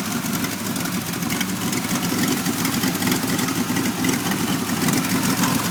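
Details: 1991 Pontiac Firebird V6 now able to start and idle, still setting codes 33 and 43: uneven, loping idle with irregular stumbles and choppy beat; rough idle, cause not yet found.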